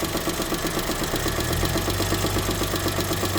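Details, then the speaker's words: 2008 Daewoo Matiz engine at warm idle: a light, even tick about four times a second over the hum. It is quiet when cold and appears as the engine warms. Valve adjustment didn't help, with no oil use, no smoke and good pull; service called it normal. Owner unsure. "Мужики, что это за звук? Тук-тук-туктуктук. Или так движок работает на матизе 08."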